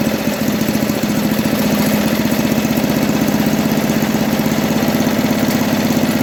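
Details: 1980 MTD SnowFlite 5-20 snowblower on a new carburetor, mixture screw opened one turn: small single running steadily at about four firing pulses a second with an even, slightly rough putter; settled and healthy.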